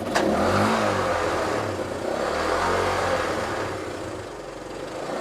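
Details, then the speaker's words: 1972 Honda CT90 K4 after carburetor rebuild, during idle adjustment: small single revs up and settles with an uneven beat; better, but idle still needs further adjustment. "Well, we're going to have to adjust it. So why don't you start it up again and I'll do a little bit of adjustment."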